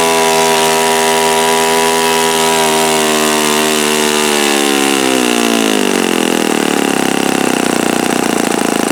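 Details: Repaired OS FS-48 Surpass (repaired blown-out crankcase) on test stand, bearing check: steady high note, then pitch drops smoothly as revs come down, no grinding or knocking; nothing sounded like bad bearings. Normal running.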